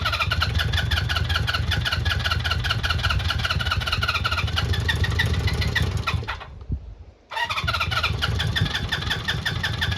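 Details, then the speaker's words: Honda CB400F Super Sport, off the road since 1983, after resetting ignition timing, fuel and choke on: repeated cranking with faint uneven firing attempts that never catch; now flooded, later cylinders 2 and 3 found with dry carbs and plugs. "Come on, you bugger. I thought it was going to go. flooded like anything now."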